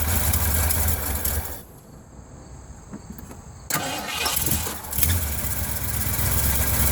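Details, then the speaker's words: 1980 Ford F100 carbureted engine after 29 years sitting, new air filter, bowl refilled, running off tank with fresh gas: cranks, catches and settles into low, even idle with steady rumble, no clear knock; engine running after long storage. "I refilled the bowl, poured in a couple gallons of gas, and was eventually able to get it running off the tank."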